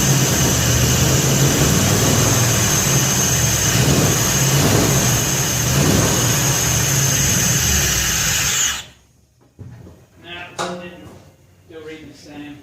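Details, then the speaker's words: Freshly assembled 302 V8 in 1966 Ford F100, run after replacing oil pressure sending unit: steady even rumble with constant hiss for about nine seconds, then clean shutdown; owner still doubts oil gauge reading. "i replaced the oil pressure sending unit i want to see if it improved what the reading getting was in"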